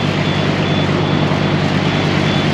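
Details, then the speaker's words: Tracked lift working on an incline: loud diesel engine drone with a steady, unbroken series of quick beeps over it; the slope warning alarm, switch-controlled, sounding normally. "So that switch right there, that's the one that makes all the beeping."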